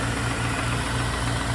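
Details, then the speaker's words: 2000 Corvette C5 LS1 345 hp V8 with 77,960 miles, oil pressure about 40 psi: smooth, even idle with a steady low rumble and no ticks or knocks; engine in top shape. "engine's in top shape with no knocks or ticks or leaks"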